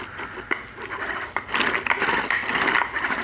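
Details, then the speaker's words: Bondo Hog sander with the air compressor off, its pad turned slowly by hand. The gear-driven (owner believes planetary) mechanism gives uneven light clicking and ratcheting. This is normal gear mesh, with no roughness or grinding. "It's gear driven, and I believe it's on a sunshell type gear, you know, a planetary"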